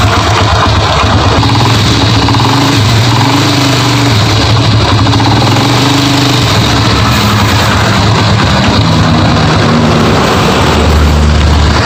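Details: Honda Grand motorcycle brought in for a rough noise inside the engine. Steady rough, rattly running note at idle that sounds like a knock but comes from a worn clutch housing (clutch bell), not the rod.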